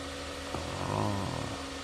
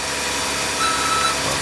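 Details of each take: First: Jeep Grand Cherokee after replacing noisy idler pulley (part 05281301AA) that screeched on cold starts, battery reconnected and restarted: steady even engine hum, no squeal, chirp or rattle from the belt. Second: Jeep Grand Cherokee on a cold morning after remote start: harsh, hissing screech over the cold idling engine from one worn idler pulley bearing (part 05281301AA); fix is replacing the pulley.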